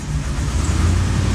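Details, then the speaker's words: 1991 Corvette ZR1 with LT5 V8 and 16 injectors: deep, uneven, lumpy idle, running poorly once the secondary injector system is switched on; scope shows shorted secondary Multec injectors causing the misfire. "and you can see the engine is running poorly"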